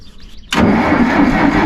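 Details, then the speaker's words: Massey Ferguson 40 tractor being woken up for mowing season, possible dead battery: starter churns steadily over a second but engine won't fire; owner suspects it's out of fuel, later thinks fuel valve wasn't opened far enough and it was over-choked. "yeah I'm gonna say it's out of fuel no it's not good that means I gotta go to a gas station"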